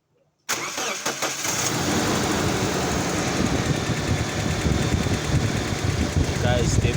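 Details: Petrol car engine after replacing the faulty ignition coil on cylinder four, which had caused a misfire; cranks briefly, catches and settles into a fairly steady idle.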